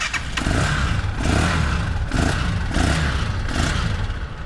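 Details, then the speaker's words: 200cc Thai three-wheeler (samlor), first-owner, free-revving: repeated throttle blips rise and fall cleanly with no knocks, misses or rattles; engine revs very smoothly and sounds healthy. "นี่ครับฟรีเครื่องนิ่มมากครับเครื่องนิ่มจริงๆเลยครับบอกเลยตัวนี้เครื่องนิ่มมากครับ"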